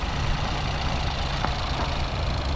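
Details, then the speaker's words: 2018 Ford EcoSport 1.0L EcoBoost at an auction yard, said to need engine work. Loud, uneven low idle with a lumpy beat and a faint knock underneath. Rough-running engine, cause not stated. "The last one for today, the Ford EOS Sport. But this engine was very bad."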